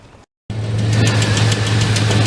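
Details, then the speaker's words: GMT400 Chevy truck after a no-start on bad old gasoline, with different valve springs fitted: catches and settles into a rough, missing idle with a light quick tick; lifter noise traced to a worn #3 intake cam lobe/lifter, oil clean, oil pressure okay. "the lifter dude this is a lifter noise the oil is super clean"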